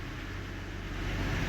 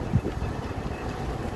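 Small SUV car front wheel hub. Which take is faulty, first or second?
first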